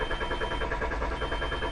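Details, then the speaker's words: 2000 Volkswagen Jetta that shuts off while driving, fuel pump already replaced: starter cranks in a quick, even whir but never fires; scan tool shows no RPM signal and engine speed input code, crank sensor suspected. "And as you can see, I'm cranking the engine over. You can hear it, and no RPM signal."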